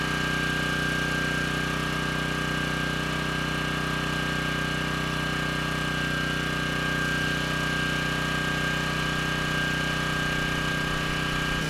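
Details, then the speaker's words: Craftsman 3600 W generator (model 580.323602) with 7 hp Briggs & Stratton engine, revived after being left outside; starts easily and runs off load with a steady, even drone and no knocks or misses, output THD around 7%. "so far so good uh no problem starting the engine uh without a load"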